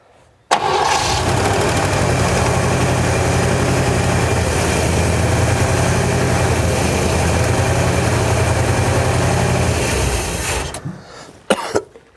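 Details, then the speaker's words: 1957 Chevy Bel Air sitting since 1985, little fuel in the tank, fuel pump not pumping to the carburetor; owner suspects a hung float. About ten seconds of steady fast cranking with no catch; cranks but no start, no fuel delivery. "don't think it's pumping yet is it i don't think so"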